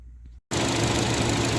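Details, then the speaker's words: Nissan cooling fans, newly replaced after the old fan burned out; thermostat suspected stuck and also being replaced. Steady even whoosh without rattles or scraping; normal cooling fan operation after repair. "the new cooling fans on the Nissan are working so that's a good thing"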